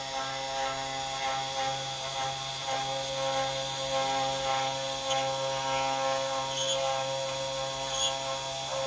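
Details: CNC 3018 router: steady hum with irregular ratchety squeaks as the X axis moves and loses steps, shifting position; axis squeaking with lost steps.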